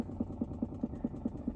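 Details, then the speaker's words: 2022 Chrysler Pacifica Hybrid, about a year old, with the engine off makes a soft, even thump about five times a second, seeming to come from the front upper area; it stops once the vehicle is turned on; cause unknown. "This is a 2022 Chrysler Pacifica. The engine is off. I just got in the car. It's making this weird noise."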